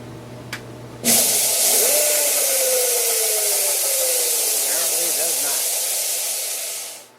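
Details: Jet belt sander after fitting a new belt and tensioning, tracking wheel untouched: spins up to a steady high hiss, faint tone sliding downward as belt wanders off; tracking needs adjusting.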